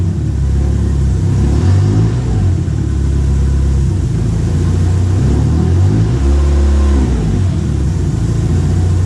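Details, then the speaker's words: Chevrolet Chevette on stands, revving: loose uneven knocking rattle as the exhaust pipe, now sitting closer than before, vibrates and hits the gearbox housing; suspected, checked by wedging a screwdriver. "você tem uma batedeira eu suspeito que seja o escapamento topando aqui no câmbio"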